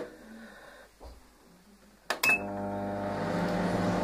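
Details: AFK MWDGE 20 microwave after repair (burnt 5 W resistors and relay replaced): click, then steady low hum and buzz while heating normally; contents warm after 14 seconds.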